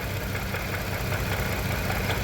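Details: 2015 Range Rover Sport after engine replacement: uneven, lumpy idle with an irregular thump and stumble, a misfire on cylinder 5. Loss of compression pointed to a burnt valve, which a later teardown confirmed.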